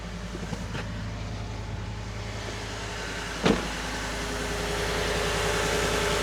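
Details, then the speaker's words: Ford F-150 V8 at 240,000 miles, just after new spark plugs and a new air filter. On a true cold start after a short click it settles into a smooth, even high idle, barely shaking and running on all cylinders. "She's purring. Legitimately purring. Barely any kind of shake to it. Still coming down from idle. From high idle."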